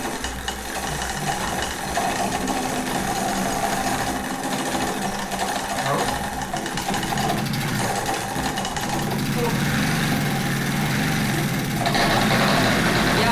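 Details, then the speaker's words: Peugeot 102 two-stroke moped being fired up after clutch and carb cleaning work; belt/clutch slipping and a little smoky, then a deep uneven train-like rumble and rough chatter, abnormal internal engine noise of unknown cause. "I think that doesn't sound good. It sounds like a train. I don't know why it's doing that, but okay. Why does it sound like a train?"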